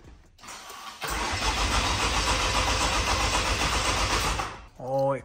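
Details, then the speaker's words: Rebuilt engine of a wrecked 2022 Vanderhall Venice GTS, first start after a new battery fixed a no-crank problem, no coolant fitted: brief crank catches within a second into a steady even idle, then switched off; healthy start. "so it was a battery issue all right you know what that means we actually put this engine together correctly we've got no coolant so I can't run it for long sounds good"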